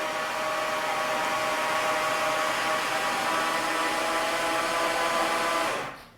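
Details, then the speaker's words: 2018 Jaguar F-Type SVR 5.0 (flood-damaged), newly fitted replacement engine cranked 3-4 times in park with plugs and coil packs out to circulate oil; steady even whir, no compression pulses or lumps, stops cleanly; normal cranking without spark plugs. "Right, so now I've turned the engine over 3 or 4 times. Obviously with no compression, just to get that oil circulating a little bit."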